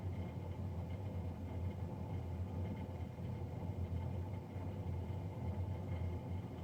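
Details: Navien NCB-240 boiler recorded three days after a Jan 31, 2020 service: steady, loud low drone around 100 Hz, no rhythm or knocks; combustion fan running noisy, cause unclear.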